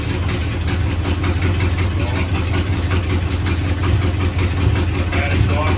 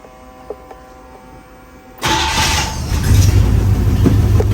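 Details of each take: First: 1956 Chevrolet Bel Air 265 V8, freed from seizure, second-ever start: rough idle with sharp raspy ticking puff on every firing pulse; massive exhaust leak, header gaskets shot, one side lacks a gasket between header and cherry bomb. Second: 1956 Chevrolet Bel Air 265 V8, once locked up and recently freed, restarted warm after shutting off in gear: catches right away after a quiet pause and settles into a steady, even idle; healthy warm start.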